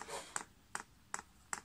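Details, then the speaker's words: Chinese diesel heater with 6-fan-blade icon LCD controller in prime mode (OK held, down then up arrow): sharp, evenly spaced dosing pump clicks about 2.5 per second, fuel level rising in the line; normal fuel pump priming. "you then press the up Arrow and you can hear that pump's clicking"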